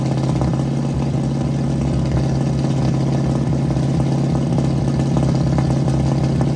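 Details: 1967 Mustang warming up during timing adjustment, vacuum hose off distributor, air cleaner off; uneven lumpy idle with irregular exhaust pops, lean running from starved fuel supply by the carburetor.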